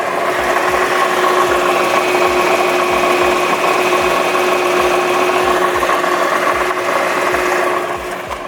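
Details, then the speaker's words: Nissan GT-R R35, warm idle: steady hum with a faint, light grinding rattle from the bell housing in the center of the car, heard better once warmed up; a normal quirk of this car, nothing wrong. "so actually as the car has warmed up you can hear the bell housing a little bit better"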